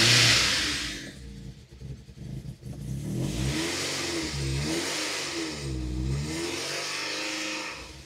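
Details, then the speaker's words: Rebuilt 16-valve MK2 Golf GTI engine just after first start following new HT leads, plugs and injector tightening; revs up and down cleanly without misfire or knock, eases to idle, slight exhaust smoke; normal running. "done look it's idling now as it started up it's idling smoking a bit from the exhaust so if I need to tighten that up"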